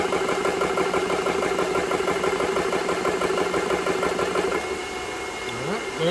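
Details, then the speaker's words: GX CS3 compressor after fixing a failing, loose-connection switch: steady, evenly pulsing chug about three beats a second with no stumbling, then winds down; running normally, no longer surging from the bad connection. "that's working real good i don't hear the compressor was going up and down you could hear it drawing drawn amps and stuff and that loose connection"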